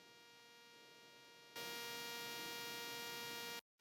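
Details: Rode Wireless Go 2 feeding a Sony camera such as the A7S III, A1 or FX3: a steady electrical buzz rich in evenly spaced tones, jumping louder midway, then briefly cutting out. Interference buzz; source not confirmed.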